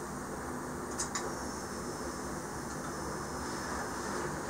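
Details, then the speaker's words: Yamaha Road Star Warrior, key on in neutral after cleaning the starter button contacts; a couple of clicks then a quiet, steady electric whir as the fuel pump primes and stops normally. "let the fuel pump rhyme which here it stopped"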